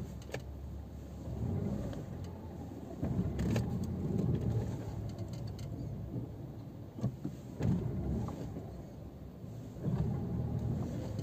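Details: Peugeot 206 1.4 (2011/2005) or 207 (2009) pulling away in first after fully depressing the clutch: low rumble with sharp clunks from the driveshaft cross-joint (istavroz); workaround is pressing the clutch only partway.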